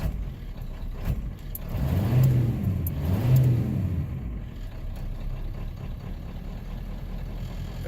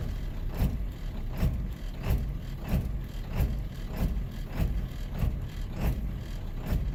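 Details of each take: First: 7.3L diesel truck prone to rough idle on startup: started after the glow plug light goes out, the engine rises briefly under a throttle blip, then settles into a steady, even idle. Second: Cold-start 7.3 L diesel just after the glow light goes out: rough idle, with uneven low thumping surges about 1.5 times a second. It sometimes smooths out on its own.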